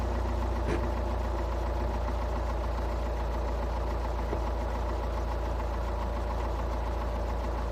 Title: Стук на холодну, Шкода А5, 2.0 тді 125квт